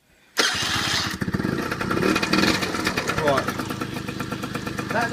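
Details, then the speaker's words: Peugeot Speedfight moped with a new starter fitted: a sharp crank catches into an uneven idle, with a brief spinning whir as the starter dog spins round twice and doesn't kick out. The dog may need changing. "That little spinning noise you heard was this bit here. Okay? The dog. Basically it spins out when it starts, and what that one did was spin round twice, didn't kick out."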